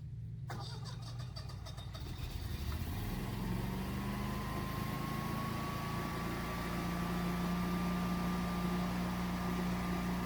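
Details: Generac standby generator, test started by switching off utility service disconnect: quiet, then short crank catches cleanly and the hum rises and settles into a steady, even run; normal start-up.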